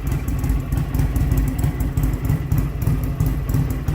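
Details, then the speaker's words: 2007 Buell Lightning XB12SS V-twin on its first start since winter after new spark plugs, with a Rev Moto exhaust; it fired instantly and idles with a steady lumpy pulse, no misfire heard. "put the key in see what we get look at that that was instant sounds good"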